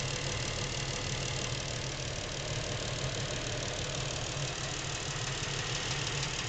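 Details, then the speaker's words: Lincoln MKX with 7,000 miles, knocking since new and worsening; steady idle with faint uneven tapping about three per second from back of the motor, not cam phaser/chain area; dealer could not hear it, source not pinned down. "Now, the noises seem to be coming generally from this area of the motor, which is the back of the motor."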